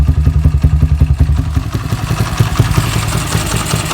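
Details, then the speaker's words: Motorcycle single after swapping S1 camshaft for EDO E2: rough, lumpy revving with sharp clatter near three a second over the exhaust; suspected valve train tick, unconfirmed; S1 was smoother. "Suaranya sangat kasar dengan E2, Bro. Anda pasti bisa mendengarnya. Lihat, suaranya benar-benar kasar."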